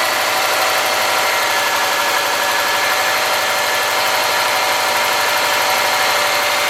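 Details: '03 Subaru Forester, 178k miles, ~150 miles after head repair for a dropped valve guide, cold idle: light fast metallic ticking about four a second, driver-side front exhaust valve clearance .029 vs about .010; adjustment stopped it.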